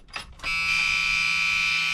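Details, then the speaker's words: Old White GMC truck, weak batteries being charged, during cranking: steady high-pitched engine shutdown buzzer sounds continuously, source and cause not yet found. "every time i go to crank this thing the old shutdown buzzer is up here buzzing for some reason in here and i don't know where it's coming from"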